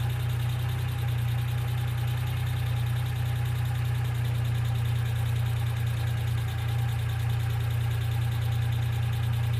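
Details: 1995 Geo Metro at steady low idle: light, fast ticking, roughly three or four per second. Noisy top-end lifters are suspected, not confirmed.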